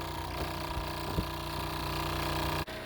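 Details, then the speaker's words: Fresh-water pump in a 2017 Thor Quantum RV running after being re-mounted on rubber feet instead of hard-mounted to the floor: steady soft low hum, much quieter, no rattle. "All right, so now we're rubber mounted. See how much quieter that is?"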